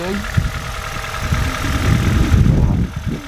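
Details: Mini Cooper R50 bought cheap at auction, idling: light quick top-end tapping over the low rumble; owner suspects hydraulic followers, a worn belt tensioner or a worn chain tensioner; cause not confirmed.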